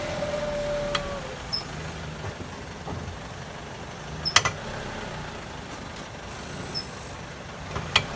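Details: 2004 Mazda 3, 2.3 L automatic, 215,000 miles: sharp cracking clunks over a quiet idle, only when shifting D to R or R to D with a little throttle; lower control arms and CV axles were already replaced.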